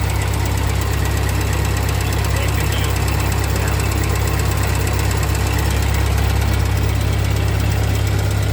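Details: 1948 Ford 8N tractor engine after a full rebuild, idling in neutral after a PTO check; new carburetor still needs fitting and adjustment: deep, steady low rumble at an even idle, about four beats a second, no misses or knocks. Normal idle.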